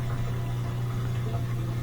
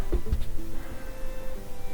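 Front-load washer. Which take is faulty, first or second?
first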